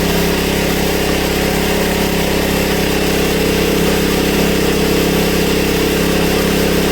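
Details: Honda EB1400X generator that previously wouldn't put out power, now making power: steady even drone with constant hum, no hunting or misfire, up to speed at 112 volts and about 60–65 hertz; running normally.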